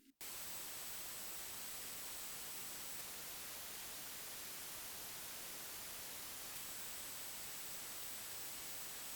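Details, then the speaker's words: Focusrite Scarlett 1st Gen interface, first mic input with no microphone connected: flat, even white-noise hiss with no hum, crackle or popping; normal preamp noise floor before the intermittent rising-noise fault appears. "so first run no microphones connected just the normal noise all right so here we see your normal flat white noise"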